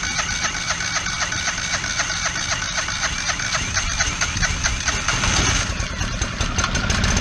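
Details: Kohler 725cc V-twin surface-drive mud motor on a Pro Drive X Series boat. It threw the cylinder 1 connecting rod in 2012 and has a makeshift filed non-steel key. A slow, lumpy idle with a hard pulse every other beat: it runs on one cylinder.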